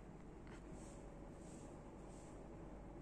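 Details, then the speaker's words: ABCON tubular roller blind motor lowering the blind: low, even, quiet hum with no knocks or jerks, and no clicking or jolt on stop, start or direction change, unlike a common market motor; running smoothly and quietly. "suaranya halus Hai tingkat kebisingannya juga sangat berbeda dengan motor yang ini jadi tidak tidak Berisik"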